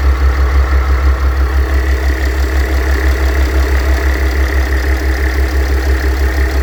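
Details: Mercedes W211 with OM642 3.0 diesel at idle: rough rumbling drone with faint whirring on top from a worn A/C compressor bearing; replacing the bearing eliminates the noise.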